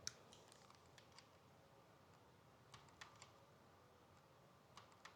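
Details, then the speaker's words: Sony camera lens, after the camera was knocked over, makes faint sharp clicks in bursts about every two seconds as autofocus hunts and fails to lock; lens won't focus, replacement needed. "Can y'all hear that clicking? It's cuz my lens won't go into focus. And and I'm not able to film."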